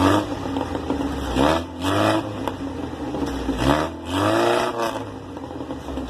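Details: Exhaust with glasspack muffler after repairing a broken baffle that rattled like a cowbell: engine blips up and settles several times, clean deep note rising with revs, no rattle; fixed.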